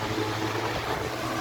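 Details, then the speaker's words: Industrial fan converted from 3-speed to 6-speed, running normally at its top setting: loud, steady rush of air over a low motor hum, very noisy and powerful. "Grabe ang ingay niya at Napakalakas ng Bugal ng hangin kasi nga industrial pa"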